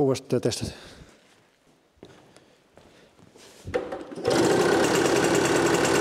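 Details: Automatic two-speed Tunturi Pappa two-stroke moped started after carburettor cleaning, covers off; a few clunks then catches and settles into a fast even buzz; runs normally, jet still to be fine-tuned on a test drive.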